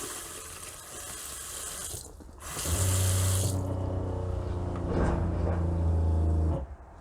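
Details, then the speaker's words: 2017-2018 Kea Platinum 6-berth motorhome fresh-water pump: low steady drone while the tap flows, then cuts out cleanly when the tap closes; normal cycle (failure to stop would mean air in the line). "so the water pump should always shut off as soon as you close the tap over here"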